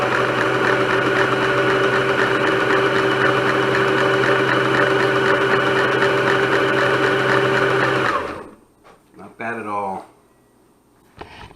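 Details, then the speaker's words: 1965 Kenmore 158.17560 sewing machine, after fixing linkage stuck in reverse from old oil, lid off, running at full speed: fast even whirr with steady rapid needle beat, quiet, no knocks or catches; runs smoothly. "And by the way, that was full speed. And you can hear this is a pretty quiet machine even with the lid off, without the mechanical noise."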